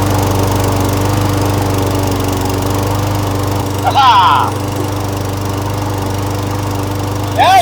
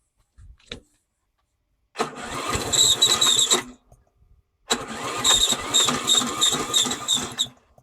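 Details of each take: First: A Briggs & Stratton Yard King mower runs with a steady, even low drone and no surging or missing. This follows an ultrasonic cleaning and rebuild of the carburetor and a new battery. It runs normally. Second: Briggs & Stratton Yard King mower after carburetor rebuild and battery charger wiring: two starter attempts, each grinding about two seconds with no catch, slow laboured cranking; owner suspects the battery is done.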